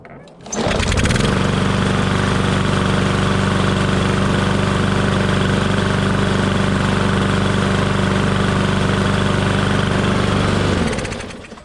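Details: Briggs & Stratton mower engine after replacing the breather reed to stop oil seeping into the air box: it starts quickly, runs smoothly at steady speed and winds down cleanly.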